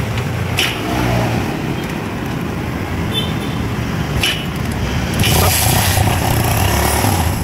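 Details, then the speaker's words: Barako 175 single-cylinder motorcycle after timing chain tensioner reset, idling amid street and traffic noise: no clear chain clatter from the top end; earlier noise and stumbling gone, normal idle. "So narinig nyo diba tumahimik na. So nawala na yung kanilang andar na parang pumapalpal mga idol."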